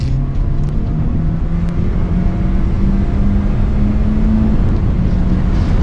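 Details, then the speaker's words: 2016 Honda Civic with a used LKQ junkyard replacement engine, under light throttle on a test drive: the note climbs smoothly and evenly with no knock, whine or rattle; healthy, no check engine light. "I mean, so far, I mean, it feels pretty smooth. Gonna give it a little bit of gas over here."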